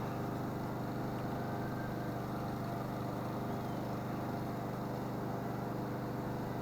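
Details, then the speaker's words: Husqvarna mower with a Kohler engine that the customer said wouldn't run: a steady, even single-cylinder putter with no misses or surging. "That Husqvarna still seems to be running good. I don't know why it wouldn't run for the customer, but it seems to be fired up and running good."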